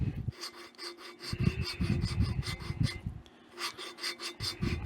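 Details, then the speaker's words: Waterloo Boy 5 hp engine valve lapping during assembly: gritty rasping scrape in back-and-forth strokes about once a second as silicon-carbide-like compound grains crush while the valve is oscillated on its seat, signalling a finer finish. "And you can hear that compound. You can hear the granulars the grains get crushed. That's when you know you're getting down to a pretty fine finish."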